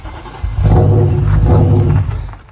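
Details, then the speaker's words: BMW E39 M5 that kept dying after a fuel pump/fuel line repair, fuel pressure problem suspected; cranked on the starter in gear while pushed, engine catches with a deep rumble for a second or two then dies: cranking, engine runs only briefly. "So it'll run for about a second or two now. So he's just going to crank it on the starter."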